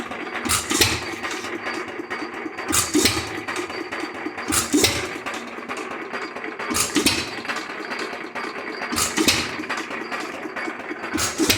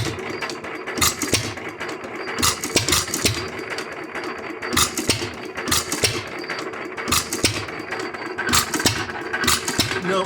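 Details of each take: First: Lauson 2hp hit-or-miss engine, first run after cam gear replacement: sharp firing bang about every two seconds with quiet coasting between; crisp regular hit-and-miss cycle, running properly. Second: Lauson 2hp hit-or-miss engine after cam gear replacement, mixture being leaned: uneven sharp pops with irregular gaps, firing twice in a row (double sucking); mixture too lean, being richened back.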